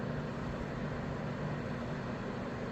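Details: Master Electric 750-1500W small space heater after repair, running on 750 W: steady even whoosh with a low constant hum, no rattles or catching; heater fan runs normally.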